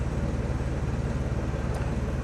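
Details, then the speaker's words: 1992 Geo Metro XFi, retrofitted with AC from a 1995 Metro plus a new compressor, condenser and dryer, holds a smooth, even low idle with no vibration while the compressor runs, controlled by a new AC delay board that raises idle first. "i'm not shaking all over the place from vibration the car is idling smooth with or without air conditioning"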